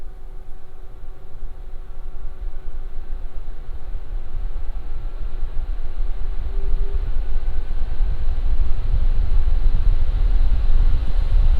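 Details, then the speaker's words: Lian Li Galahad II Lite AIO with original non-ARGB fans, mic about 1 foot from radiator, under Cinebench load: smooth even air rush building as fans ramp, no rattles or ticking; normal fan noise. "Now I'm just going to ramp up the CV bench, and this is how it sounds like at load."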